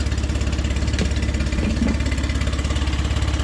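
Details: Small outboard that had sat a couple weeks with no known problems, checked to pump water: a steady, even low pulse at about 200 per minute with no knocks or misses. It idles healthily.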